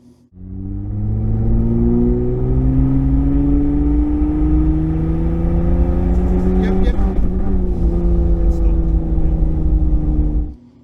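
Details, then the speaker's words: New engine with freshly installed ECU, during tuning after trigger edge setup: pulling hard under load with faint sharp pinging near the top of the pull; detonation persists even with ignition timing removed, cause not yet found. "we were struggling with detonation when we were tuning it, right? As you saw, as you just saw."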